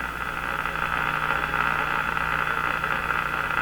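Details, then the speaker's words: Stewart Warner R514 tube radio during an IF sweep: a steady hiss with a low hum and a whistling tone on top, an intermittent wild oscillation in the 455 IF stages. The cause is suspected, not confirmed. "it really does sound like a wild oscillation in the iaf of this radio"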